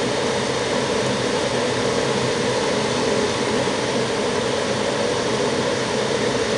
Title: Furnace noise on start up, Mar22,2017